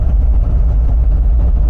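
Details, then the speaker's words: MGB on first road drive at low speed: deep steady low grumble from the rear; owner suspects the diff, wheel bearings or rear brakes stuck on, not confirmed; brakes also very poor. "there is a grumbling noise coming from the back whether it's wheel bearings or something else maybe the back brakes are stuck on"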